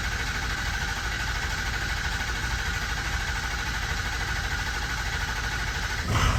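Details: 2006 Ford 6.0 Powerstroke diesel, crank no-start that two shops couldn't fix, after fixing stand pipes, dummy plugs, an injector and two new batteries: steady even diesel clatter holding after it fires; starts and runs normally.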